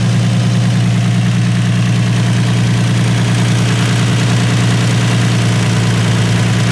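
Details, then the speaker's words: Infiniti G35 V6 after a drift event where it ran rough: steady even low idle with no misses, stumbles or knocks, no blow-by seen; normal idle, compression test still planned. "it looks like it runs pretty smooth doesn't like to have a blow-by or anything like that they did crazy so it sounds pretty even"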